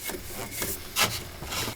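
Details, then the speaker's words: BMW N52/N51 alternator (E90 3-Series), belt off and pulley spun by hand: dry rasping, scraping noise and a wobbling pulley; alternator suspected dead, bearing wear suspected, before replacement. "the thing number two is all this noise that the alternator makes it sounds extremely suspicious"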